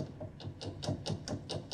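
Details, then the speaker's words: Upright piano owned about 35 years and unserviced for years, bass section, no key struck; light quick buzzy rattles four or five times a second inside; internal rattle, cause unclear. "that rattling going on in there so we have issues"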